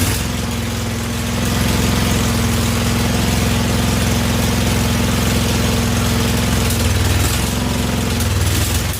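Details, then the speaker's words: Husqvarna YTH2148 lawn tractor with a Briggs & Stratton Vanguard V-twin, after carburetor work. Uneven, lumpy, loping idle, intermittently firing on only one cylinder; one exhaust pipe is cool enough to touch. "I hear the Sol right now sitting only on one cylinder for some reason oh man she's still not"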